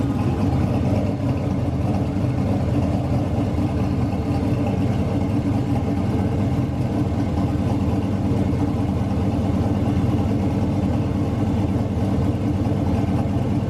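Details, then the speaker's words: Turbo V8 street truck on E85 after turbo rebuild, with restrictor fitted; steady even rumble with revving, turbo spins easily with no rubbing, scraping or whistle: normal idle and revving. "sounded real good but it still spins nice and easy I don't hear it rubbing on anything so I'm not worried about that"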